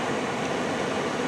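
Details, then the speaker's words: 2007 Toyota Tacoma with A/C blowing no air. Blower on high: steady, even rush of air with no whine, tick or scrape; fan motor healthy. "as you can hear in the video is the motor running right now yeah and put in high yeah i got it got it"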